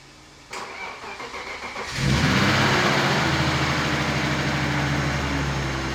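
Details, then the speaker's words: Turbo BMW E36 after an engine-bay fire while drifting, ECU repaired and heat protection fitted; brief cranking, clean catch, steady even idle without stumble or misfire: normal start and idle. "the E36 now starts GNA go on a test drive just drive around see how it does see how it performs"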